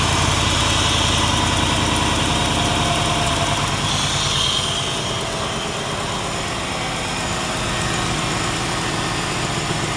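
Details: LT1 V8 (Caprice/Impala-family) after throttle body coolant bypass work, one line left uncapped: engine catches, revs briefly, then settles into a steady, even idle with no misses or knocks. Normal start and idle.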